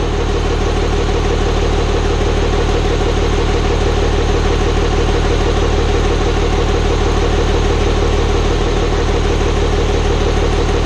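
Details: Hybrid 5.9/6.7 Cummins diesel swap, first start-up after the build. Steady idle with an even light tick about three per second from the front valve cover; builders suspect loose valve lash, not confirmed.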